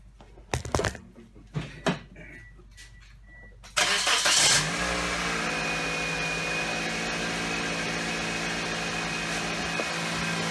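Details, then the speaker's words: 2007 Pontiac Vibe after refitting the separated exhaust manifold joint with a new donut gasket, bolts and springs: a few clunks, then a smooth, even, quiet idle with no ticking or puffing; no leaks, good seal. "Nice and quiet, ladies and gentlemen. Doesn't have any leaks. Good seal."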